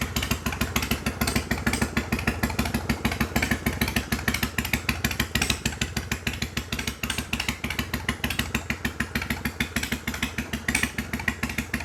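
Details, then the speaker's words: 1993 Harley-Davidson FXDWG Dyna Wide Glide Evo, not run in years, after carb cleaning and adjustment, choke off, in shop: steady even loping idle, regular firing pulses, no misses, knocks or hunting; sounds good. "All right. Well, that sounded pretty good to me."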